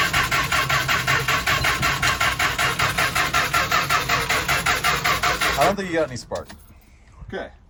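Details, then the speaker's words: 1977 Winnebago Chieftain, 440 Mopar V8, abandoned 20 years with bad fuel, starting spray used: steady cranking at about two and a half beats a second for six seconds, never firing; no spark suspected; cranks but won't start. "so I was hopeful but uh yeah don't think we have a spark"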